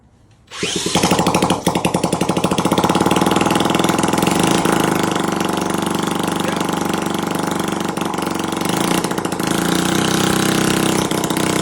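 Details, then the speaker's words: Honda Z50 50cc four-stroke, restored after being abandoned, first start: catches and immediately revs high, staying up without settling to idle; racing idle, either an air leak or a stuck throttle suspected, before the idle was adjusted. "Either we have an air leak or the throttle's stuck. But she's alive."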